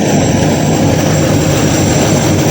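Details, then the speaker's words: 1953 Ford Customline with 350 V8 swap after new intake gasket: steady even burble at warm idle, below 180°F, no knocks or misses; running well. "I must say it's really running good now. I think the thermostat has opened a couple of times."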